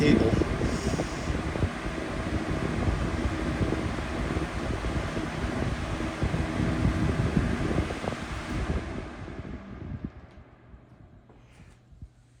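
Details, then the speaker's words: Week-old Lasko 3733 black box fan on high, before balancing: steady fan roar with loose, uneven thumping about three times a second as the unit rocks back and forth; bad factory blade imbalance. "hopefully the camera will pick up this thing moving all over the place so let's see here see the fan just rocking back and forth and it's now not straight on the"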